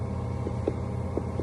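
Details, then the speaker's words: Chinese car idling with faint irregular dull thuds over a steady engine rumble, about four in under two seconds; the knock comes from a loose, dangling filler-neck hose, fixed by adding foam at the clamp and tightening it. "а вот что стучит у нас на этих слушайте болтается как это шланг Да горловина"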